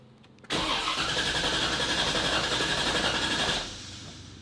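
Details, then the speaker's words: $1k LS-swapped drift car: the starter spins the engine in an even chug for three seconds without catching; no fuel delivery, fuel pump no longer heard, suspected faulty pump assembly. "I heard the fuel pump originally but now I'm not hearing it do it this time but it's not getting any fuel"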